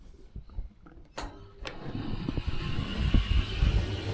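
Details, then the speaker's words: Baumatic BD45KG clothes dryer with failed fan belt; on startup the motor hums and labours, clunking unevenly as the drum barely turns and slowly builds speed, the symptom of an almost dead motor start capacitor. "So, it was trying to start. It was humming, but just couldn't get away."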